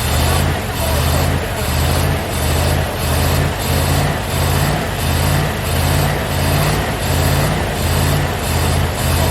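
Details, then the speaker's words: Rover P6 estate V8, five-speed manual, barn find, first start after long layup: lumpy idle with steady stumble about one and a half times a second; one cylinder dead, distributor cap cracked inside. "there's at least eight there was it eight well no one's not working because the decision was kept cracked inside so it's firing on about five"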